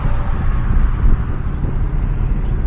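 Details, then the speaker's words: 2013 Jeep Patriot 2.4L on a test drive around the block: deep, uneven cabin rumble with irregular thumps from a constant dead misfire on cylinder 2 (P0302), started as a slight rumble when first fired up, likely a failed ignition coil. "Yeah, it feels like we got dead misfire on number two. So, that that very likely could be an ignition coil."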